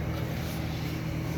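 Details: 1976 Eaton Viking dehumidifier with homemade plywood front panel, after panel vibration fix, collecting water: steady even low hum, soft constant drone, no knocks or rattles; running normally.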